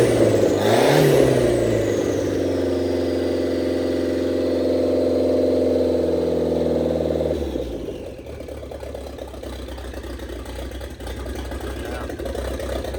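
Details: 1927 Ford Roadster, 2.3L turbo four, first run after fuel-line repair on new 91-octane fuel: steady even note with a whir on top, then revs drop away; runs smoothly, no leaks, downpipe not yet welded, still needs tuning.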